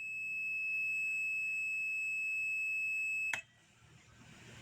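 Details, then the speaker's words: Solar water heater control relay (12 V setting, cutoff 12.6 V with 10-second delay) on a continuity test as voltage is dropped; steady high-pitched beep cuts off abruptly after about three seconds as the contacts open at cutoff. "So if you'll listen, hopefully it'll make some noise for you, loud enough. I've got a continuity test going from here to here."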